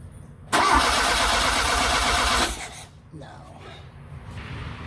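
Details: 1979 Fiat Spider 124 crank no start: even, steady cranking with no firing or catch; cause found to be failed magnetic pickup inside the distributor, replaced (ignition control module also bought, possibly unnecessarily).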